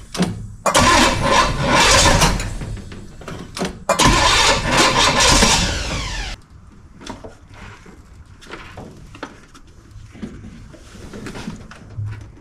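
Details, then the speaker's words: 1968 Pontiac LeMans V8 right after refitting the distributor and plug wires: two long bursts of starter cranking with no firing. It will not start; distributor timing is suspected as the cause, not confirmed, and the distributor gets moved a notch. "Try it now. No, it doesn't seem to like that at all."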